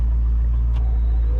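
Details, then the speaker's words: 1965 Ford Mustang Fastback V8, warm idle around 900 rpm, oil pressure 55 psi: deep, steady low rumble with even firing, no knocks or misses; healthy idle. "We're running about 900 RPM. As far as our oil pressure is at 55 pounds."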